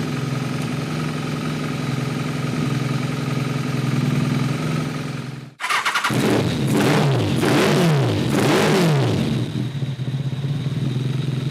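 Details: Kawasaki ZRX1200 with rebuilt Keihin CVK carbs: a rough, hunting, lumpy idle with choppy throttle blips, running lean. It is a jetting issue; cylinders 2 and 3 gave no clear change when their plug wires were pulled.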